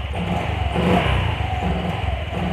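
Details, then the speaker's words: Honda Vario 125 scooter after an ECU reset failed to fix it: small blips off idle make the engine stutter and break up unevenly, a low-throttle stumble. Owner suspects weak fuel pump pressure or another cause. It ran smoother with the TPS unplugged. "Bang, ini masih berebet ya bang. Nih, dengerin nih. Tuh."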